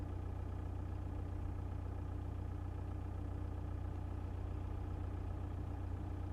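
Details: 1.9 TDI diesel at idle: fast, fairly even knock about three per second over the low rumble; engine knocking, cause not determined.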